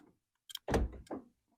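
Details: 2010 Toyota Yaris with a newly installed aftermarket keyless entry remote, tested before the panels are closed up: a quick tick, then a sharp double clunk as the actuators throw; the power locks work normally.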